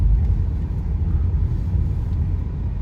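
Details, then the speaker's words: Renault Megane 2 on a rough road with a steady low rumble and no knocks from the front suspension, after new control arms were fitted. It holds straight at 130–140 km/h. "ви можете чути що ви не чуєте ніякого грохоту"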